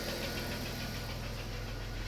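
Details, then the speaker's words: Unidentified minivan from the fleet, spring start after winter with a low battery: light quick top-end tick over a steady idle with good oil pressure; the owner thinks it needs an oil change. "Oil pressure looks good. Still got the ticky tickies. But not too bad."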